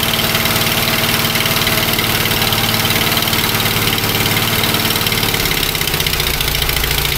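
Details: Fiat 126p BIS (English import) under restoration, after valve clearances set to 0.15 mm at TDC on compression for better compression: now starts, rough uneven idle with loose puffing pops about three a second, owner thinks it's blowing out of the exhaust.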